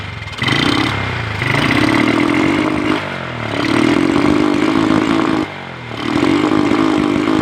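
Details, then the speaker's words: Honda Revo motorcycle with a new spark plug and cleaned air filter still sputters: each throttle blip flattens into a choked rev that won't climb freely. The carburetor is judged dirty and needing service. "kita ganti busi baru, tapi suaranya tetap berbet teman-teman ya. Suaranya tetap berbet, digas nggak bisa los. Jadi ini menurut analisa Glue-Proof oli ya, ini adalah karburatornya perlu diservis teman-teman ya."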